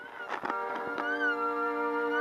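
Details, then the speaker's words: Breadboard FM transmitter broadcasting music; plugging in a small light on a supply line with no capacitor adds warbling, gull-like squeals over the received song, supply noise that a filter cap would stop. "like we've brought in the seagulls which almost sounds like as part of the song when it's not okay I'll pull that out I need a cap over there"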